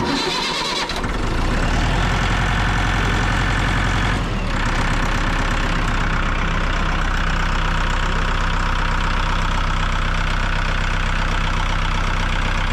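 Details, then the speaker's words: Engine started after re-tightening the radiator cap to fix a coolant issue: cranks and catches within a second, settles to steady, even idle with no knocks or misses; coolant pumping and problem fixed. "all right let's fire it up and see see how she acts"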